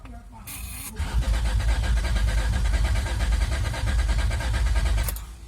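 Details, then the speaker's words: 2003 Honda Accord V6 with freshly swapped engine (previous one had rod knock), first crank with fuel pump fuse pulled; strong, even cranking with no firing or grinding, oil pressure light yet to go off; normal cranking. "I think it sounds good, although the oil pressure light is yet to go off. Crank it a couple of times, the oil light should go off. Sounds pretty strong."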